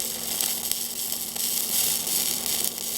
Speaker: I go uphill, 7018, 120 amps. Key contact. Spending a little bit more time at the tippy top than at the root.